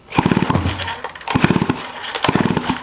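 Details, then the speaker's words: 1985 Stihl 028 AV Super Electronic Quickstop chainsaw, unrun for about 10–15 years: three rope pulls give rattling compression pulses with no firing; spark test shows zero spark, on-off switch suspected. "no spark you can hold on to the boot and touch contact with the cylinder head and you're not going to get shocked"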